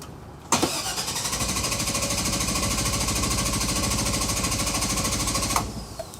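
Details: 2000 GMC Savana 5.7 small-block school bus with an intermittent no-start after driving about five minutes and shutting off, here after sitting half an hour, no stored codes. Steady, even cranking about three turns a second for five seconds, never fires. Crank no start.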